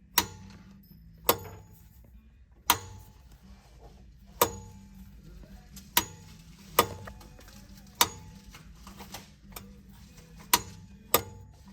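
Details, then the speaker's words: 2014 Ram 5500 Cummins 6.7 VGT turbo with the actuator off, vanes cleaned and moved by hand with one finger: sharp metal clunks as the freely moving vanes hit each end stop, which is normal. "this is how you want it be able to move it with one finger you hear the metal clunks at each end get to each stop"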